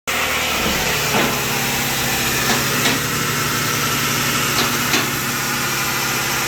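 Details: 2007 Toyota RAV4 AWD automatic at idle: a steady low whine under a strong hiss from the automatic transmission pump.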